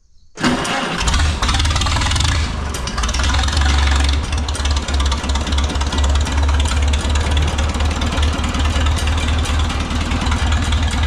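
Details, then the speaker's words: Oliver 66 tractor with replacement Marvel Schebler TSX carburetor, cranking to prime the bowl: brief crank, catches cleanly, settles into a steady even idle with crisp throttle response; normal start and idle. "So, but I guess we'll see first off if it'll even run. I have to crank for a minute to prime the bowl."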